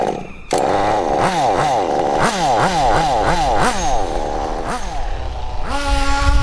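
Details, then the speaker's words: Kyosho DBX nitro buggy, tank 4 of a 5-tank break-in: 3/4 throttle in a straight line. Quick throttle surges about four a second, then a steady buzz, with blue exhaust. Normal rich break-in running. "Once again, you can see, because the engine is running rich, you can see the blue exhaust"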